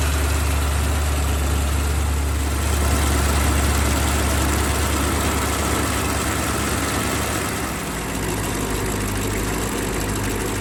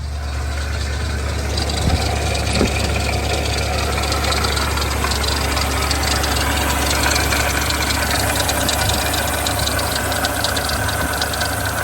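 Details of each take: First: BMW X5 E70 engine idling with the drive belt removed: smooth, even V8 idle, front-of-engine rattle gone; the water pump pulley has play and its worn bearing was making the noise. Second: 2007 BMW X5 E70 4.8i V8 idling, hood open, not overheating: dry, busy rattle from the front of the engine with a slight belt squeak, traced to a failing water pump with a worn bearing.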